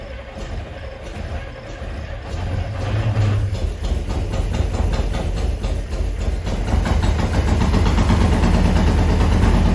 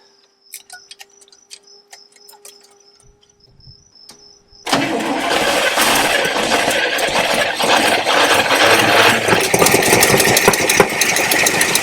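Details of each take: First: Abandoned 1974 International 150 pickup, IH 345 V8, after new fuel lines, drawing from its tank via fuel pump: catches into a lumpy, loping idle with occasional pops; backfiring, probably down a couple cylinders, suspected exhaust restriction. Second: Abandoned 1974 International 150 pickup with the IH 345 V8, left in a farm field, fuel line disconnected: even, strong cranking at about three beats a second with no drag. Normal cranking.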